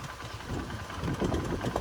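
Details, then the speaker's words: Honda Unicorn motorcycle, 2,000 km after oil change: light uneven mechanical clatter over idle rumble that a mechanic could not fix; combustion deposits suspected; engine ticking/clatter at idle. "Light engine gel sound వస్తుంది కదా. ఇది mechanic కూడా ఏం చేయలేదు."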